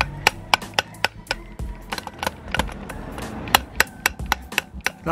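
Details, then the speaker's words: Original drivers-side driveshaft from MK2 Ford Focus ST225, off the car and turned by hand: sharp, uneven clicks and knocks about four times a second from the inner CV joint with failed bearings, causing vibration at motorway speeds; new shaft silent. "doesn't sound good does it you compare it to our nice new one which is silent so the bearings inside here are gone out that is ruined the end one that one feels all right but that in one that in CV joint is where we're getting our vibration"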